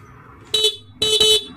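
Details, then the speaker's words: Motorcycle stock horn, key on, before fitting an interrupter horn relay: two short clear high-pitched toots, the second a double blast, steady clean tone with no rasp; healthy stock horn. "Hindi katulad nung stock natin, no? Yung tunog ng ating busina, ganyan lang."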